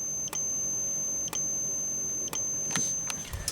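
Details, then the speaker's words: System Sensor P1224MC horn strobe powered by filtered DC instead of full-wave rectified: steady high, even capacitor charging whine with a sharp flash pop about once a second, smoother; normal strobe capacitor charging whine. "As you can hear, the capacitor sounds a lot smoother, too."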